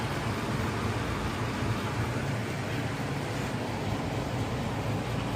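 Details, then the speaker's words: Furnace blower starting after the bad capacitor was replaced: steady rushing air over a low, even hum with no rattles or drop-outs once the gas heats the heat exchanger; normal blower operation, fault was the capacitor. "So when the gas go through, this heats up the heat exchanger. Then the fan turn on. Then you get your hot air and voila, fan cut on."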